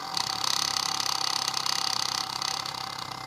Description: The fuelpump should stop running when pressure builds up, this does not build pressure